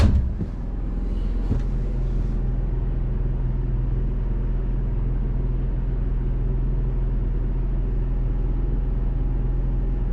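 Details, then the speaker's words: Built-in Onan generator in a toy hauler RV, heard inside from the bedroom: steady deep rumble through the floor with no rhythm change; the generator runs evenly but is overly loud inside. "nice and quiet yeah that generator is obnoxious"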